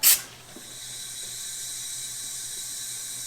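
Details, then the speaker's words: 1977 Dodge Monaco 360 V8 parked 32 years, leak-down test on a good cylinder: sharp puff then steady hiss, unchanged with choke open and none from the exhaust, so air passes the rings into the crankcase. "There you go, that's a good cylinder. And that actually sounds like it's going by the rings and going into the oil system. See how it doesn't change note when I open the choke?"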